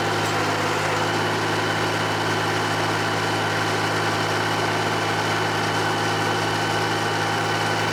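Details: John Deere 350B bulldozer, rebuilt diesel engine after its first start since rebuild: steady low throb, even firing with no misses, knocks or hissing; normal idle.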